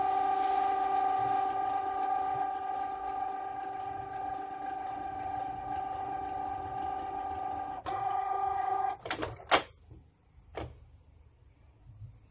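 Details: Canon printer: a loud, steady, rough buzzing whine from the print mechanism for about eight seconds, then a few clacks; loud, rough printer mechanism noise.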